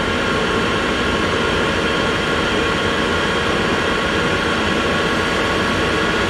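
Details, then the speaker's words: Eberspächer Airtronic 3 (Espar AS3 D2L) diesel air heater, 2021 generation, in the workshop just after start with its rear cover removed: a steady, even fan and burner roar with no pulsing or rattles, already near full power. "i saw that the electronic three takes about two minutes less to get to the full power [Music] than the electronic one as you can see it's just started and it's almost working at full power"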